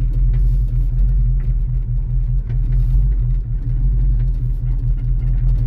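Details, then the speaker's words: 1989 Ford Mustang GT V8, first run after years in a storage unit, with a deep idle that stumbles with an irregular lope; it is misfiring despite plugs about two years old, and an unidentified odd sound is also present. "yep it's got to misfire we're misfiring Ellie it's got new spark plugs in it too looks like so why is it misfiring"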